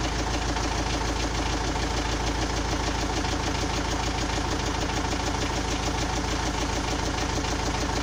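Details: Engine at steady idle with a regular knock about three times a second over the running engine; cause of the knock unclear.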